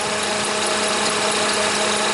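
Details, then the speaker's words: Toyota Highlander (2003 or 2007) idling, battery dead, alternator output falling from 13 V to 11 V: steady whine with a few even tones over constant hiss, speed unchanged; alternator suspected failing, not yet confirmed. "the battery is definitely dead but alternator is not putting out before it was like 13 volts now it's down to 11 so let's put up pull up a a wiring diagram of this charging circuit and uh see what's going on but that alternator sounds pretty pretty bad"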